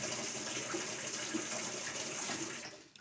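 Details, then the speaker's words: Whirlpool commercial coin-op washer, model CAE2745FQ0, in diagnostics mode with the hot water valve energised for 10 seconds: a steady, unbroken rushing hiss of water into the tub. Normal hot-water inlet valve fill. "so all right so right now the hot water valve is just activated it'll do that for 10 seconds"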